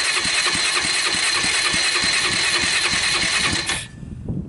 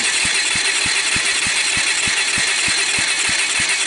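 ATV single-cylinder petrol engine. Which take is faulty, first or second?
second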